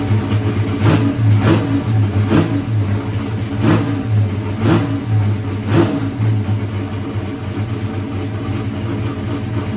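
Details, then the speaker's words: Boosted big-block Chevy race engine after timing-chain failure repair with new cam: deep V8 rumble with sharp throttle blips about once a second, each revving cleanly and settling evenly; healthy running after rebuild. "So, all right, guys. Appreciate it, Brandon. It was fun. We got it fired up, baby."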